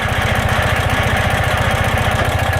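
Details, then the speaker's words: Noise heard when the clutch lever is pulled and released on a 2016 Ural boxer at idle: loud, fast low chuffing with a rough knocking edge; owner suspects the clutch slave cylinder, not confirmed. "Voilà le bruit que j'entends lorsque j'actionne la poignée d'embrayage."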